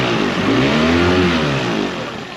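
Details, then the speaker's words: 2001 Yamaha 15hp four-stroke short-shaft outboard, sat in a barn 5 years, after full service, running in a test tank: picks up quickly and cleanly, pitch rising smoothly without misses, then easing back; revs up nicely. "Revs up really nice. Goes into the gear smoothly."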